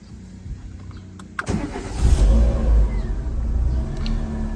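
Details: Renault Megane 3 after repair of a no-start with no ECU signal, caused by moisture-corroded, damaged wiring. Two wires were restored and the ECU plug refitted. Quiet cabin, brief crank, then the engine catches cleanly into a steady, even rumble; a normal start.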